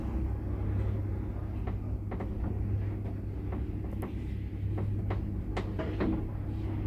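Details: Mid-1970s Daka traction lift, innerdoorless car, 10 floors: low steady drone with scattered irregular clunks and taps about every second or two while travelling; cause unclear.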